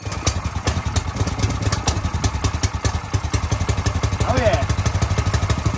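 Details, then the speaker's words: New garage-sale Predator 212 single-cylinder engine in a free go kart, first ever start with its first fuel: quick, steady putter settling into an even idle, no misses or knocks; running normally, clutch not catching. "The garage sale engine runs. So I'm just gonna let it do a couple heat cycles and everything."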